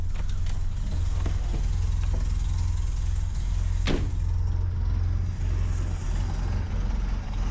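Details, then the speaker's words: Mercedes W115 idling with the air filter not fitted, after earlier hesitation and cutting out on throttle, now taking throttle well: deep, even, steady rumble with no misses, a normal healthy idle. "the air filter and everything isn't on it or isn't connected but sounds sweet"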